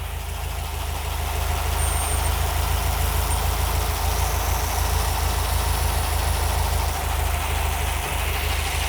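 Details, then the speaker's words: Vintage Ford Y-block V8 (Thunderbird) at idle: loud, lumpy, uneven throb around three pulses a second. Vacuum gauge fluctuates near 10 inHg instead of 18+, unless a cam is fitted; idle mixture being adjusted, valve seals suspected. Rough idle. "we're reading, really fluctuating at about 10 degrees or inches of mercury, which isn't right. This should be up around 18 at least, just rolling over, unless there's a cam in it."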